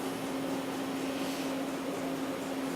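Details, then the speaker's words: Milltronics VKM4 3-axis CNC mill running its warm-up program, spindle at 2,000 rpm, cutting a large rectangular frame: steady, quiet, even hum with no knocks, grinding or squeal; drives sound healthy. "still running the program the warm-up program so it's cutting a large frame of a it's rectangle right now"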